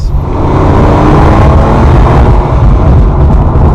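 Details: Cheap Ferrari 456, bought non-running, with suspension problems: deep, smooth V12 that pulls cleanly under throttle with no misfire, knock or rattle; healthy engine.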